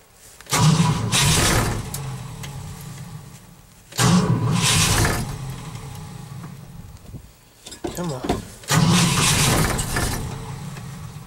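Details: Cold start after an overnight low of -11 and 0 at start: three cranking bursts, each churning a few seconds then dying away, and the engine never catches; the owner thinks he flooded it and the battery may be weak.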